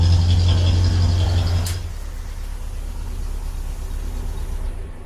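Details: 1950s Standard 10 after fitting a complete stainless steel exhaust system: deep, even low rumble easing from a rev back to idle, no puffing or blowing; sounds a lot better, healthy.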